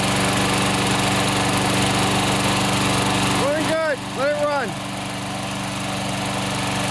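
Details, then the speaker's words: Older Toro SR4 Super Recycler 21-inch mower after full service and fresh oil: steady, even single-cylinder drone at constant speed with no misses or surging; running really good, no smoke, only applied oils burning off. "running really good no smoke I do smell a little bit oils and stuff that I put on it burn off but no smoke"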